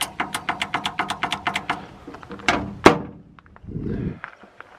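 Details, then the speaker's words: Shed-moving lift that won't raise: sharp solenoid clicks and clunks but pump motor never runs; owner suspects battery or corrosion, checking motor. "can hear the solenoids, but you can't. It It doesn't do anything."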